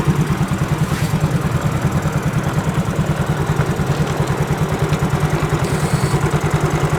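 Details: Fuel-injected motorcycle after cleaning the carboned throttle body sensor with carb cleaner through the intake: even low thumping idle about three beats a second, no misses or hunting; idles smoothly.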